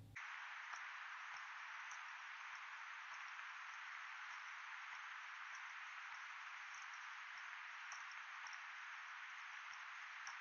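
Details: Sony WH-1000XM3 right earcup, recorded while walking with no music playing: soft, evenly spaced clicking or creaking, a bit under two per second, through a steady hiss; cause suspected, not confirmed.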